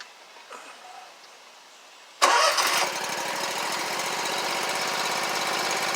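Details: Scag Tiger Cat II zero-turn mower, Kawasaki FX691V twin, after repair of bent push rods, broken cylinder-2 rocker holder, stuck choke and clogged fuel filter: engine cranks, catches and settles into a steady even beat on both cylinders, no misses or pops; normal running.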